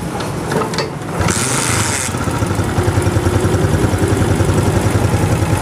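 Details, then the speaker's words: Honda CG125 single-cylinder motorcycle, just reassembled with the head fitted, kick-started to idle with a light tappet tick because tappets were set slightly loose; they will be readjusted after 5-10 minutes of running. "Bike start हो गई है, हल्की हल्की टिक टिक की आवाज़ आ रही है, तो यानी वो टैपर थोड़े से हमने नरम रखे हैं।"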